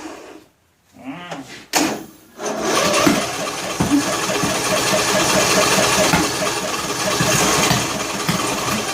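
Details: John Deere L100 lawn tractor engine, cranking on choke with valve cover off: uneven cranking with sharp irregular pops back through intake and exhaust, hard start; owner suspects broken flywheel keyway throwing timing off, or valves not sealing.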